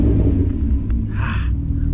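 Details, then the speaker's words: Mk3 VW with a 12-valve VR6 on temporary BBS RX wheels at steady cruise: a deep, even drone with a low rumble and road noise. It runs smoothly, apart from an unexplained metal clanking from the front with no vibration felt in the shifter, pedals or wheel. "Music to my ears. Aside from the obnoxious metal noise in the front, it definitely feels good to be cruising this car again."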